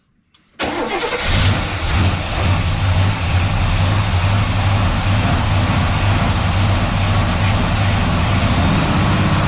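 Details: 1970s Buick GS 455 V8 starting cleanly and settling to a steady even rumble, no ticking that was present before; engine sounds healthy, though no generator light or voltage.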